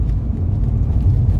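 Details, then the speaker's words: 2014 Renault Duster after front suspension replacement and wheel alignment, test drive: steady low road rumble with no knocks or clunks; the earlier metallic clunking over rough roads and potholes is gone and the front is now quiet. "तो कोई noise नहीं ए रहा है silent हो गए ये गाड़ी पुरी होता है"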